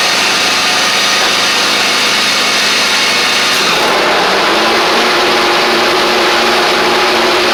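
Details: John Deere X350 riding mower, 48in deck, after full service with new blades: deck lowered and blades engaged, engine settles to an even, steady whirr with no clatter or squeal; sounds better now, normal deck running.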